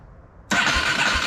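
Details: 1987 Yamaha Warrior 350 ATV left in a pole barn for years, newly installed aftermarket starter, boosted by a jump charger because the battery is weak: brisk, steady cranking that spins the engine strongly without dragging. Normal starter cranking.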